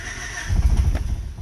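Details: Old Honda car with a new battery fitted and fuel pressure at about 37–40 psi: starter churns briefly, then a few ragged low thumps as it tries to fire but never catches; cranks but fails to start.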